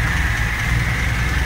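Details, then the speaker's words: Lada Laika with original carburettor, rebuilt engine, new plug leads, mounts and fuel pump after mechanical work: starts on the key and settles into a smooth, even low idle hum, no stumble or knock. Normal idle. "vou ligar aqui o motor para vocês verem da partida tá ó só virar a chave virou a chave pegou a marcha lenta tá"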